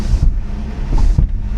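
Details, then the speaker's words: Flood-damaged 1986 Nissan 300ZX on first drive in 13 years, weak brakes: dull low thumps in uneven bursts under road noise from the right rear; suspension clunk suspected, not confirmed. "ooh I don't know if that's safe to drive that doesn't sound good man something going on on that right side rear"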